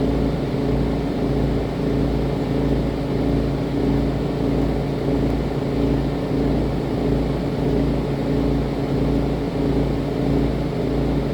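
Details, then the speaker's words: RV rooftop air conditioner running with a steady heavy hum and a slow boom-boom vibrating pulse, about a beat and a half per second. The fan is shaking because two mounting bolts fell out of their rubber grommets. "that's the noise of my AC it works but there's that vibrating pulsing noise boom boom boom boom boom boom"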